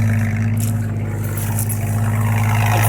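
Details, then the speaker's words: 1982 AMC Concord, microphone at the rear bumper by a new welded muffler: a steady, deep, even drone at idle with no ticking or puffing. Loud at the tail but not leaking; normal exhaust note, though a slight leak remains at the front flange. "that bumper sucks because it's awfully loud back here but at least it's not leaking so you'll be in the car you won't even hear it"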